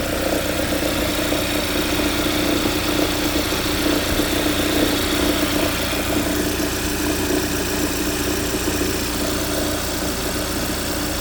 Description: 2015 Hyundai Santa Fe rattling sound after putting into reverse from a cold start. Does not happen for the rest of the drive.